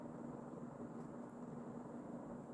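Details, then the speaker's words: Early-mid 1980s Emerson Casablanca Designer 36" plastic ceiling fan CF-2036W, K-55 stack motor, 2-speed, on high and spinning really fast: soft even motor hum, low steady tone, no ticking or wobble beat; smooth, balanced, normal. "So that's the high speed. And this one does go really fast."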